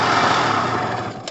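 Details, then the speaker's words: Pulse Force 50cc two-stroke, rescued, kick-started with flat battery: bright buzzy note runs evenly for a moment before dying away; small engine sounds healthy and clean. "Alright guys, so wrapping up, the battery is so flat it needs charging, but it starts on the kick and it sounds fine, and it should do every time. It sounds amazing."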